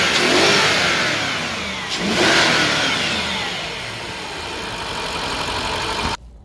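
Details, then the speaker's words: 2003 Range Rover HSE V8 after replacing the ignition coils and spark plugs: engine runs and revs smoothly with an even note and no misfire, though the service engine light stays on with no codes. "Okay, so we started the engine. As you can hear, it works great. No misfire."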